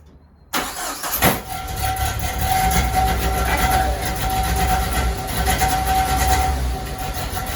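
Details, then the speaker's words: 1995 Jeep Wrangler YJ on a cold day: cranks and catches, uneven idle with a loose metallic rattle from underneath; owner suspects the catalytic converter or muffler, not confirmed. "Seems to be coming from the exhaust system somewhere. I think I've narrowed it down to either the catalytic converter or the muffler, but I'm not 100% sure which one."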